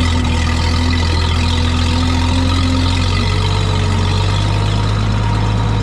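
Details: Old tractor idling at about 7:30 am: deep, steady idle with an even low beat and no knocks, misses or ticks. An earlier slight miss and high idle cleared after running, possibly spark plug deposits. Normal idle.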